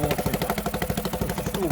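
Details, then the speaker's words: Honda BF5A 5 hp four-stroke outboard, not started for two and a half years, new fuel line fitted: single-cylinder puttering at a fast, even beat with steady exhaust pulse, no knocks or misses; normal running. "so I will fire it up they took over and then 14 reverse we go quiet beautiful engine there we go yeah I'm absolutely over the moon with that what a great bit of kit"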